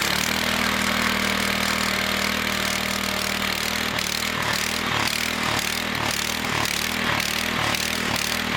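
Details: Small engine of a homemade 12V generator, started on fuel and choke to charge a car battery via jumper cables, no exhaust fitted: harsh loud crackling bark surging a couple of times a second; missing exhaust muffler.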